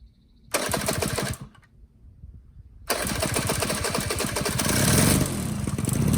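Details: 1985 Honda Spree two-stroke scooter that bogged and died with no power, after clearing a plugged, carboned muffler by burning it out in a fire pit: sharp blips pull up cleanly, then a sustained climbing rev without bogging; running healthy.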